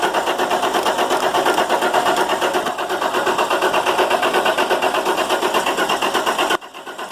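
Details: International MaxxForce DT466 diesel, hot no-start, codes retrieved: fast, even starter cranking without ever catching while oil leaks past injector o-rings; fix is replacing the o-rings under the oil rail. Hot no-start from leaking injector o-rings.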